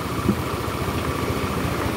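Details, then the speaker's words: Older Honda Beat scooter running rough and smoking, burning oil: at very low RPM a quick, regular low thumping that comes and goes deep in the engine; connecting rod and bearing damage, rod knock. "Jadi kalau RPM rendah banget dia kedengeran nah ini masih kedengeran tapi jauh di dalam sana nanti muncul ini masalah di lakernya juga masalah di stangnya"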